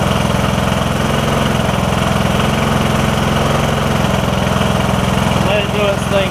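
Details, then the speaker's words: Briggs & Stratton OHV single riding mower that was hard to turn over, after replacing the camshaft with faulty compression release, started with starting fluid: steady, even putter about 3.5 beats a second, no misses; normal idle. "I just gave it a shot of starting fluid and it started to do its thing here for a minute or two all right that sounds good we're going for about a minute now"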